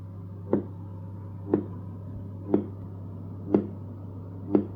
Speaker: It's a pretty annoying sound that's generating from the Powerplay Mat because the signal from the charging coils are being picked up by the speakers.